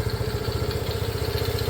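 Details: Restored custom Honda CT90, started with a choke procedure and one kick, fuel mixture screw not yet adjusted: steady, even putt-putt idle at about twelve firing pulses a second, no knocks or misses; healthy idle.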